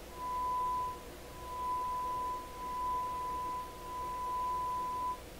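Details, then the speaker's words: DeForest Crosley shortwave radio, final checks after minor repairs incl. 3V bias batteries swapped for 1.5V: heavy then moderate signal-generator tone in even bursts, clean with no buzz, crackle or distortion. "okay so that's a whopper of a signal now no no distortion on it excellent and this would be a moderate signal"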